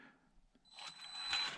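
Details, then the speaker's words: ISDT ESC70 brushed RC speed controller on a prerelease unit, set to rock crawler mode, which forces a 4 kHz PWM frequency: thin steady high whistle near 4 kHz over a hissy motor whir. The fix is setting 16 kHz PWM. "the esc super noisy so check it out i hate this if they see is that noisy and i want to set all my esc's if possible to 16 kilohertz 16 kilohertz pwm frequency"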